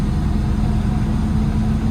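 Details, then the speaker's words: Tractor diesel just started after isolator check: deep, steady, even idle with no misses or knocks; healthy. "First impression was, that isolator's okay. Effortless. Starting effortlessly there."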